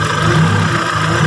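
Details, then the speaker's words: Kia Sephia/Timor DOHC fuel-injected engine idling with CO potentiometer turned below its lowest point: thin, wavering idle sagging and surging every second or so, sounding fuel-starved; lean idle, fixed by raising CO pot until normal. "suara mesin ini seperti kekurangan bahan bakar ya teman-teman ya. berarti ini sudah lebih kecil dari titik terendah."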